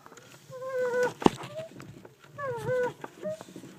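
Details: Clutch pedal after installing a Rage Tek clutch pivot arm: high sliding squeak on press and release; owner wonders whether the master cylinder needs replacing, cause unconfirmed.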